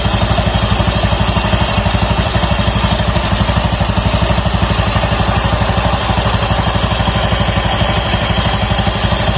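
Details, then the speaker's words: Automatic scooter after a noisy roller housing was found and the used CVT rollers reinstalled, running with the CVT cover off: even idle at about two firm pulses a second with light clatter from the open belt case; normal idle. "Semuanya oke, berfungsi dengan baik."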